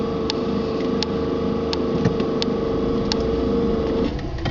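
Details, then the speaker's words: Electric-converted Nissan Sentra, 120 V pack: reversing and accelerating, pack voltage drops below 120 V and the AC compressor's steady hum with light ticks cuts off abruptly as its fuse blows; owner suspects motor controller draw near its 1,000 A limit. "keep your eye on this gge as soon as it goes below 120 which is just right there the compressor will stop working and the fuse will be uh"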